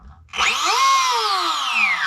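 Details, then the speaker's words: Castle Mamba X ESC and motor in a Tekno MT410 that cut out and cogged: with the sensor wire unplugged, the brushless motor whirrs up to a rising whine and eases off smoothly; the motor was later found defective. "pretty obvious that it's something to do with the sensor wire or the sensor operation"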